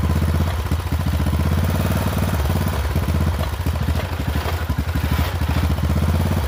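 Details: Poulan XT 12538 riding mower, 12.5 hp single-cylinder, 38-inch deck, carburetor had leaked fuel into crankcase and been replaced; engine chugs unevenly, stumbling and surging, runs rough; owner suspects valves out of adjustment, unconfirmed.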